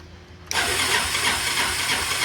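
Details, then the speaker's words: 1987 Honda Helix moped after sitting, starting with brake held and starter pressed: sudden steady, even whirring crank, so the engine isn't seized. "right so we got it to crank so the engine's not stuck"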